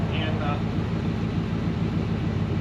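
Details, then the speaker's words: Ford Econoline van's 302 V8 idling while warming up after the bent #5 intake pushrod was replaced; good oil pressure, mellow exhaust. Low, even rumble with steady beat, no knocks or ticks; normal idle. "that was a lot of work to take that motor apart in the van fix that push rod but i'm glad i got it done the boogie band she's running sweet now"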